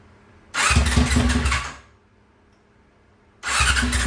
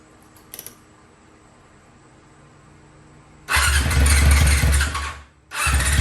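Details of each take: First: 2001 Yamaha R6 on its first start in three years after a carburetor rebuild with all new jets: busy cranking bursts that briefly catch and die, a rough hard start. The cause was found to be bad gas. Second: 2001 Yamaha YZF R6 carbureted, first start in 3 years after carburetor rebuild, jets changed and chain adjusted; problem was bad gas: quiet, then engine catches, runs loud and uneven, sags briefly, picks up and keeps running.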